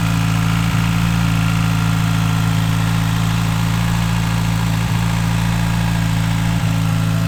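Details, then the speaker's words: Rebuilt Mitsubishi Evo V 4G63 (Carrillo pistons, Manley rods, 4G64 crank, Kelford 272 cams, Link G4+ ECU), first start after long layup, auxiliary belt removed: steady, even low idle with smooth hum, no belt squeal or tensioner chatter; normal. "i'm just going to quickly start it up for you to hear it without the uh auxiliary belt on so you can hear how quiet is and uh really really happy with that"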